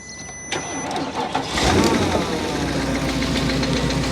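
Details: 2005 or 2006 Porsche Cayenne S 4.5 V8 with 311,000 km, started cold low on fuel and heard from outside; after cranking it settles into a rapid, regular, clearly audible engine knock over the idle, engine possibly ruined.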